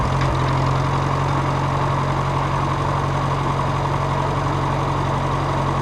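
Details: Farmall Cub tractor started after repairing the broken exhaust pipe snapped off in the manifold: steady even low thrum at one speed with no misses or knocks; runs smoothly and healthy.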